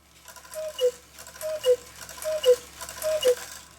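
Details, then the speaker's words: Swiss-style German cuckoo clock, music box not hooked up, bellows opening about halfway: four clear two-note cuckoo calls about a second apart, even in loudness from both bellows and whistle boxes. Normal call. "least and now it makes a even loudness sound out of both both the Bellows with the whistle boxes"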